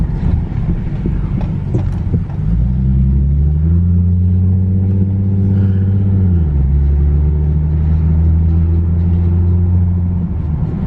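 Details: Infiniti G37S driver-side wheel while driving: deep steady drone with rhythmic throb rising and falling with road speed, getting louder; owner suspects wheel bearing, asks for confirmation.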